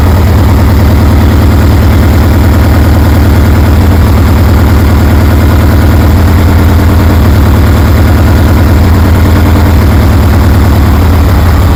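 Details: 1973 Harley Sportster with CV40 carburetor, after idle adjustment, low fuel: deep, even loping thump at steady idle about three beats a second, no misses or knocks; idling cleanly.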